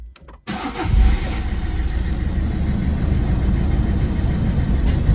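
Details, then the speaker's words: 2011 Citroen C3 1.4 HDi diesel just after fuel filter change and bleeding with the pump: short crank, catches cleanly and settles straight into smooth steady idle without misses or hunting; normal start. "And there he goes, running nicely. So we've got a smooth idle."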